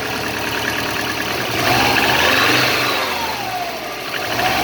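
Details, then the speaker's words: Subaru EJ205 turbo boxer, 200,000+ km, at about −15 °C: cold start and idle with light rhythmic tapping rising with revs; knock disappears once warm. Oil changed every 5–6k km, barely consumed, compression 13.5–14, boost 0.7; cause unknown. "В общем так, короче, на холодную стучит, на горячую вроде пропадает тут."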